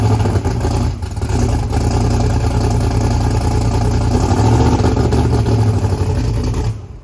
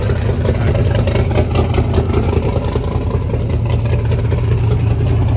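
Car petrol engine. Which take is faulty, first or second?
first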